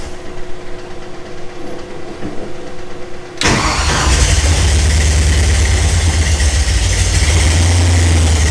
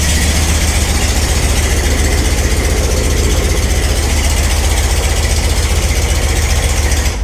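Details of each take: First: Ford Ranchero with Mustang 5.0 V8 swap, first start: brief crank, then catches into loud, uneven, wandering low idle; runs but still untuned with timing not yet set. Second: Ford Ranchero with a Mustang 5.0 302 V8 swap, rebuilt (pistons, rings, bearings), first start with no fluids and run for under 30 seconds: deep, steady burble at idle with an even, loping beat and no knocks or misses; normal idle.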